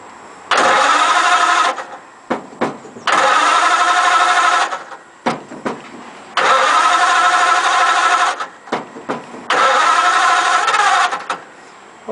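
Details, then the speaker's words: Model A roadster on '32 rails with a 276-cubic-inch flathead, parked outside under a tarp about 18 months, carbs just primed by the fuel pump and no choke yet: repeated long starter cranks with only one faint cough; it won't catch. "it's trying isn't it let's give it a minute hopefully that'll stop it did cuff once"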